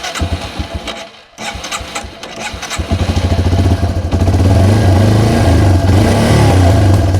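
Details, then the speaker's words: Yamaha TW200 single with choke off and a simulated vacuum leak at the carb-to-head boot: engine struggles and gives sharp irregular pops of a lean condition, steadier when the leak is closed. "Oh, did you hear that pop? That's definitely a sign of a lean condition."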